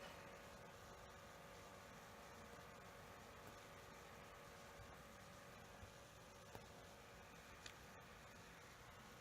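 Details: Lenovo Yoga 730 15-inch (i7 8550U) left CPU fan, faulty from new, making a steady rough grinding whir with faint hum; fixed by replacing the fan.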